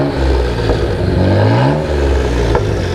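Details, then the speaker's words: Twin-turbo Mitsubishi 3000GT VR4 6G72 DOHC on AEM Series 2 standalone ECU, timing around 15 degrees matching, unloaded: revs rise and fall smoothly with even clean exhaust note, no misses or knocks, not rich, lean or smoking; normal revving. "the computer is right around 15 everything matches it's not running rich it's not running lean it's not smoking at all"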